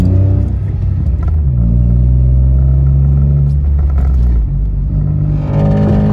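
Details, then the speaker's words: Citroen C1/107/Aygo after the baffle was taken out while the exhaust was warm: the scrap exhaust piece used in the repair snapped, giving a loud, deep, unmuffled blare swelling and dropping with revs, effectively straight-piped. "I'll show you what's happening in a minute but this is this just sounds awful thought yes"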